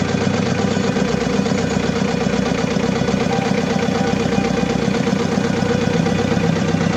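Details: Diesel engine with low power, black smoke and vibration, idling with a steady clatter but an uneven, shaking beat about four times a second; misfire from a fuel system fault.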